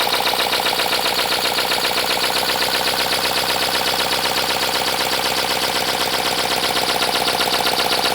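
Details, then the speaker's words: 3D-printed 412cc V8 on its second run, high internal friction, before oil was added: a fast, even clatter at nearly four beats a second with a dry, rattly edge. Owner suspects it needs lubrication. "All right, it definitely sounds like something needs to be lubricated, maybe."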